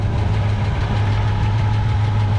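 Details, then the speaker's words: 1964 Chevrolet Chevelle Malibu V8 idling with a deep steady rumble and a light quick tick on top, attributed to an exhaust leak just behind it; cause suspected, not confirmed. "and you can hear that tick as well that is from the exhaust leak just right behind the"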